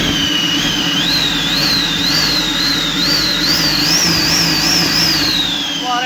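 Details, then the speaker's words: Car with a turbo hose fault: high whistle rising and falling with each throttle blip over the engine hum, worse when revved; leaking turbo hose. "şimdi arabada çok ilginç bir ses var bu sesi hepiniz duyuyorsunuz böyle hani böyle var ya Kafa yiyecek şekilde bir ses gaz verince daha da beter oluyor"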